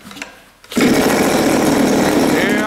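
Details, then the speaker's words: Turnigy TP31-T 31cc twin-cylinder gas engine, CD ignition and Walbro carb, first run in a cold workshop: catches and runs a high ragged buzz a couple of seconds then dies from the cold. "okay this is what i was talking about because it's very cold in here the engine has died again"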